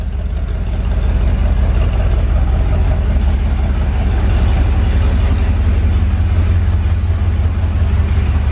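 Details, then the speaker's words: Corvette V8 after tune-up, fuel lines replaced and now running from its clean tank, starting to warm up: deep, even burble at steady idle with no stumbles or misses; normal idle. "Vital and smooth. It ain't missing no more. Sounds pretty nice."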